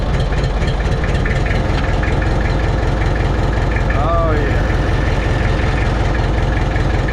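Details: Mitsubishi BD2F dozer diesel running on its own after two or three years, after cleaning rust from fuel primer pump and bleeding the fuel system; low even chug at steady idle, no stumbling; normal healthy idle.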